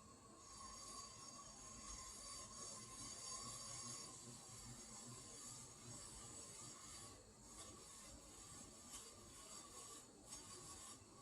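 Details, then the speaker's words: A ceiling fan, quieter after cleaning and oiling its motor bearings with 30 weight motor oil, still runs with a steady hiss and a faint persistent electrical motor buzz. "But you can hear the buzzing noise that was driving me nuts."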